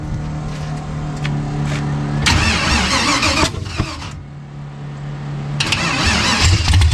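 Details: LS1/5.3 V8-swapped Chevrolet Vega, cold start in cold weather with a little throttle: catches and revs with a rough, uneven stumble off the hit before settling to a steadier idle; cold start stumble.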